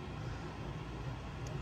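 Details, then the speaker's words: Voxelab Aquila 3D printer Z axis lowering after greasing the Z lead screw that had been squeaking: only a soft low rumble, no squeak, chatter or vibration. "but wow that's i mean it's going down pretty smooth like it's definitely pretty smooth while we're pulling it down um i would have noticed some noise and some vibrations by now"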